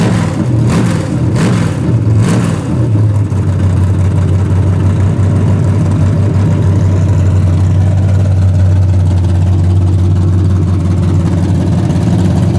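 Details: Freshly rebuilt 406 V8 breaking in, 5 min 15 s into a planned 15-minute run: a few sharp throttle blips, then loud, steady, even low idle, no knocks or ticks, healthy. Open plenum fitted; crew thinks it may need a bigger carburetor.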